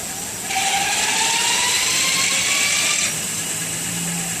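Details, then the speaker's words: Electric bike hub motor on 48V 18.5Ah lithium triangle battery, about 34°C, roughly 30 km ridden that day; smooth, quiet high whine climbing in pitch as throttle opens, easing off when released; normal hub motor drive sound. "you can hear that right hear that weird weeding sound that's the motor so you can see the wheel turning here that's the actual wheel turning"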